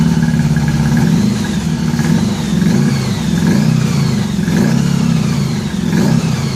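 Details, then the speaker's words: 1983 Honda Gold Wing flat-four after new head gaskets and fresh spark plugs, coolant added, warming up. Smooth, even low burble at steady idle with no misses or knocks: normal idle. "I got two coolant in it so still cautiously optimistic now getting coolant in it and stuff kind of okay so now we just need to run it to warm it up good and cautiously optimistic"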